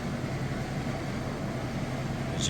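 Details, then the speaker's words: Whirlpool (Roper-badged) direct-drive top-load washer reaching top speed on final spin: fast, even whirring rush with low steady hum, no thumping or banging; spinning at full speed, healthy. "So we'll be on to the final spin next. All right, we are at top speed on the spin cycle."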